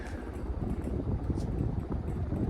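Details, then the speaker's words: 1980 Sears (Emerson) Turn of the Century ceiling fan, K63-type motor, replaced capacitor, non-original blades, on high speed: even low rushing hum with steady airflow noise, no knocks or rattles; running normally. "There's high. Some airflow noise for you. She goes fast on high."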